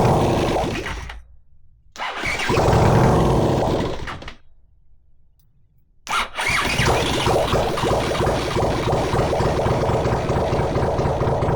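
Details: Honda CX500 engine on bench test stand, no exhaust, no coolant or oil filter, getting warm: two cranking bursts then catches and runs steady, even firing around 150 beats a minute; normal running.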